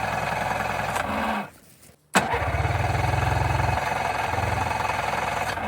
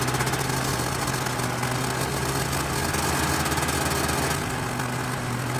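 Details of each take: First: 1991 Yamaha Ovation two-stroke snowmobile, unused about five years, on an above-freezing day: catches and runs roughly a few seconds, stumbles and dies, restarts briefly then cuts out; fuel not flowing enough, electric fuel pump planned. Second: 1991 Yamaha Ovation snowmobile, two-stroke, unrun for about five years, after carb cleaner and blowing out the fuel line: buzzes along at a fast, steady idle with a light rattle on top, caught and running on its own; normal running.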